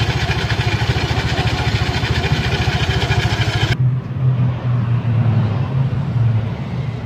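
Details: Yamaha Mio Sporty scooter with a noisy CVT, engine otherwise still stock, a giant ring shim fitted on the rear pulley: a rough, rattly, uneven pulsing under the engine note. Opened up, the front pulley face is worn and holed and the roller housing worn; worn torque cam and seized bearing.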